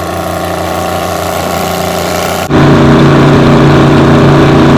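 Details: 60-year-old Massey Ferguson 98 tractor with Detroit Diesel GM 3-71 two-stroke after restoration: even, steady beat picking up cleanly to a firm uniform drone; runs healthy.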